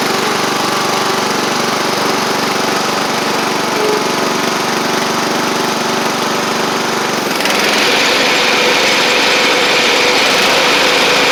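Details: Sabre riding mower after drive belt, blades, head gasket, carburetor and coil replacement, about 32°F outside: small engine runs a steady even beat of about four pulses a second, smooth, no misses or knocks. Residual oil smoke burning off. Normal running.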